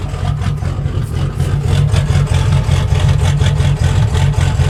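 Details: 6.0 diesel with a low tune idling rough: deep, lumpy idle with about two loping surges a second, smoothing out in reverse. Owner suspects the tunes and plugged injectors.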